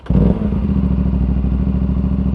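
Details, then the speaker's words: Aprilia RS457 motorcycle, about 26,000 km, fully broken in, fitted with an AC Project exhaust. Quick crank catches at once, then a deep even exhaust beat settles into a steady idle with no knocks or misses. Healthy start. "Tu dia punya enjin ni. Ada ekzos AC Project ah. Kau boleh dengar bunyi ekzos dia."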